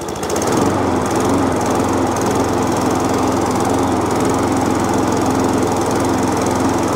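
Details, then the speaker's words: Tip-salvaged mower, run on choke, steady slightly lumpy running with busy clatter; a bit smoky, owner believes oil overfilled and it needs servicing; runs. "smoky well it runs so that goes for a run pile uh probably want to service some bits and pieces it's a bit smoky"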